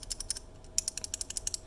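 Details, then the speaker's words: 3D-printed prototype key switch tuned to be as clicky as possible, pressed about a dozen times in two seconds: crisp, sharp high clicks, each press distinct; a loud, healthy clicky switch. "this is one that i tried to get as clicky as possible the k here and i'll get back to this one in just a second hear that"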